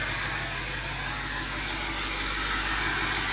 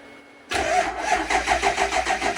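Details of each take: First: Overkill XJ off-road rig after fixes and a dead-battery start: even, steady idle with light background hiss, no knocks or misses; sounds ready to drive. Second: Overkill XJ off-road rig, front wheels off the ground: starter cranks with steady even pulse about five per second but doesn't catch; battery said to be dead, hard start.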